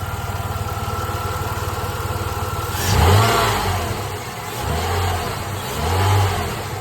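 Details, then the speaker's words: Jeep Liberty engine after valve cover seal work, just restarted after two years sitting: even idle then three quick throttle blips rising and falling cleanly with no misses or knocks; good throttle response, healthy revving. "Good throttle response."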